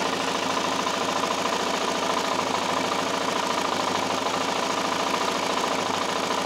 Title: ticking noise ltz 400 part 1.AVI